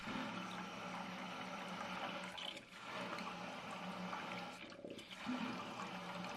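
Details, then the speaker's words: Toto toilet installed 8–10 years ago: tank refilling after a flush with a rushing hiss that cuts out and resumes until full, fill valve cycling on and off from a leaking valve cap seal. "But recently, whenever I flush, the toilet starts normal, then seems to run water on and off until it reaches the correct level."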